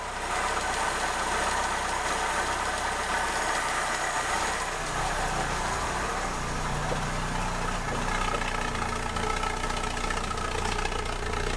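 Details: Ford Escort Mk3 CVH engine with a new Weber carb, choke on, after the blown exhaust was addressed: starts and settles to a steady, even idle with a brief rev, no blowing or ticking. Normal idle.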